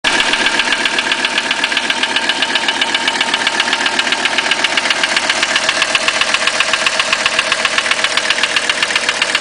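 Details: 1985 Mercedes 300TD diesel at idle: a sharp, very even knock at about four per second; it sounds like piston slap, but the owner doubts that is the cause.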